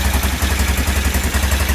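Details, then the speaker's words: Aprilia Pegaso, cold start on a little choke after new carb inlet rubbers and cleaned carbs cured its running problem, with a steady, even low putter at tickover and no misses or rattles. "so I think it's a bit of a success story then with it running sounds quite sweet actually ticking over"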